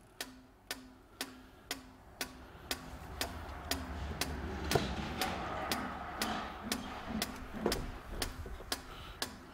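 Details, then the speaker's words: EGR valve on a Sykes-Pickavant EGR Valve Activator (30077500) 90-second clean and test cycle, knocking off carbon: sharp even clicks about twice a second as the valve opens and closes fully; passed with a green light, good valve. "so this is actually just knocking off the carbon it's open and closed the job of the machine is knowing if it's going to be open and closed and fully so it's doing all these tests"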